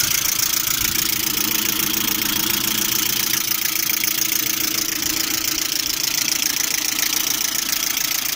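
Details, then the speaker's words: Lada Priora engine at idle, knocking hot and cold, with a fast, even tick three or four times a second apparently from the timing belt side; not like hydraulic lifters, owner suspects the water pump, engine also overheating nearly to red when driving. "Звук со стороны вот ремня ГРМ, по-моему, выходит."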